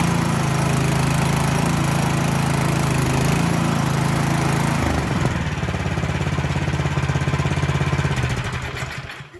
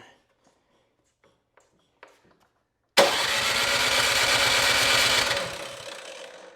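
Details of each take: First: Cub Cadet 2X26 snow blower (engine 675-WUB), no-start fixed by cleaning one carburetor jet; started on choke at half throttle without primer: catches, runs steadily with even low beat, then winds down cleanly; running fine. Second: Cub Cadet 2X 26-inch snow thrower, 675-WUB engine, on choke at about 3/4 throttle after three primes: electric starter whirs steadily about two seconds, never catches; no start.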